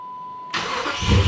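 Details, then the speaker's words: 2006 Dodge Magnum AWD 5.7 L Hemi after starter replacement: faint short crank, V8 fires at once and settles into a low, steady idle; normal start, much quieter than the old starter. "Oh, yeah. Barely even hear it. So much better. Let's try it again. Oh, beautiful. Guys, that is the sound of success."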